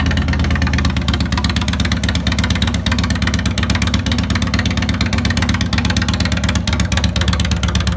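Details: 2002 Harley-Davidson Road King Classic V-twin on a bike table, second start after replacing cam chain tensioners, lifters, O-rings and gaskets: steady idle with its usual lumpy, uneven beat, no knocking or rattle, normal.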